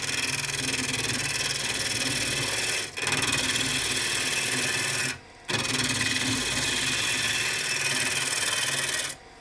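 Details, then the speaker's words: Peeling cuts truing end grain on a reversed bowl of very hard elm on the lathe: rough, scratchy rasp runs steadily through each cut with brief gaps between passes. The gouge edge has now gone dull. "And as you probably heard, that edge is now dull as well. So this is freshly sharpened."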